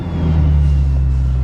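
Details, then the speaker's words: Car started in snow in December, unstarted since April, after reattaching the coil wire: deep steady low rumble with no stumble or misfire; cold start running cleanly. "anyways it starts in the snow"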